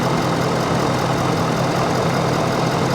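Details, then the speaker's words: Ford F350 ambulance at auction, high mileage, apparently well maintained: smooth even low idle rumble with no knocks, ticks or stumbles; healthy engine idle. "honestly though sounds great sounds really really really good"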